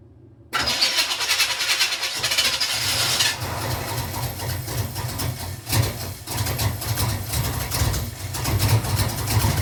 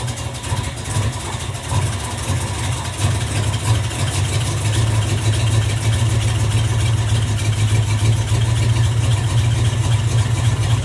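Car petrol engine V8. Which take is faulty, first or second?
first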